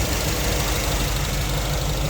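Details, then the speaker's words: 1955 GMC pickup with new ZZ4 crate V8, aluminum heads, fuel injection, electronic ignition, long-tube headers, 10,500 miles: deep even idle with light quick injector ticking on top; smooth, healthy normal idle. "Modern AC pump. Fuel injection. You can hear the injectors opening and closing."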